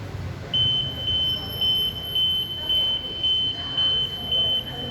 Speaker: withdraw several meters it will turn off and you will hear 8 short beeps, which indicates that the steering is not locked